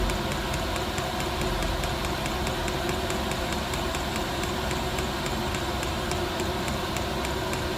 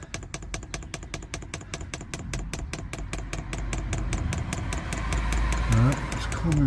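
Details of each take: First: Newly fitted diesel heater in an LDV Convoy, first start with glow plugs working: rapid fuel-pump ticks, three or four a second, over a rough rumbling burn; running unevenly, owner thinks it has not primed properly and needs more fuel pumped through. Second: Newly fitted diesel heater in an LDV Convoy, first fuel priming: dosing pump ticks sharply about two and a half times a second as fuel and air bubbles come through the line; pump working normally.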